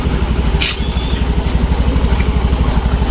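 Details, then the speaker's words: Motorcycle at idle, not yet fully warmed up: quick, fairly regular light tapping over the low thump; valve tick from excessive valve clearance needing adjustment. "Biasanya kalau lama-kelamaan dipakai celah klep itu akan menjadi lebih renggang ini suaranya klep terlalu renggang"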